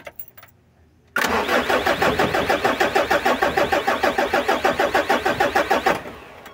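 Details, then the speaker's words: Mitsubishi L300 diesel after clutch, suspension and radiator repairs, cold: long even cranking at about three compressions a second without catching; hard cold start, needs glow-plug preheat before it fires. "Kailangan pang i-heater to guys. Heater natin."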